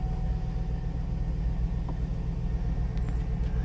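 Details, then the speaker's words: Salvage 2006 GMC Yukon Denali XL just after a jump start: a deep, steady V8 idle with an even beat and no knocks, ticks or whine, not quivering. A normal, healthy idle; the battery needs charging. "it's gonna get a service code which is typical this battery needs to be charged nee-chan actually sounds like it runs pretty good yes she seems to be running pretty good she's a little dirty no abnormal noises you can see she's not really quivering running nice and smooth as to what you want to hear"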